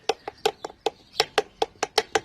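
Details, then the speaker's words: Triumph Spitfire 1500: sharp metallic click-clacks about five a second from the rear as a driveshaft joint is rocked. Loud through the car while driving; owner suspects the driveshaft universal joints, unconfirmed. "When I'm driving along, it's clicking and clacking. You can hear it quite loud through the car. And I think that it's the universal joints on the end of the drive shafts, which are these."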